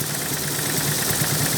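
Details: 1973 Toyota Corolla DX with 1200cc four-cylinder, well-kept engine: steady, even idle with a smooth low hum and no knocks or misses; running healthy.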